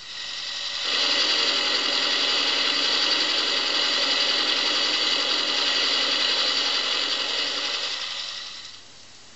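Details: Vintage "Nail that noise" record demonstrating engine noises. An even light tapping about four times a second over a thin engine hum, at half crankshaft rhythm since the camshaft turns at half crank speed: worn camshaft knock.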